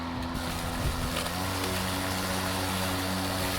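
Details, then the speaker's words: DeWalt Gen 2 cordless mower (DCMWP233U2), load-sensing motor that revs up in thicker grass, otherwise runs slow; steady motor drone and blade whir starting at low speed then lifting in speed, normal load-sensing speed change, though owner notes occasional rev-then-die. "This lawnmower senses when it's hitting thicker grass and it revs up. Otherwise it runs at a lower speed."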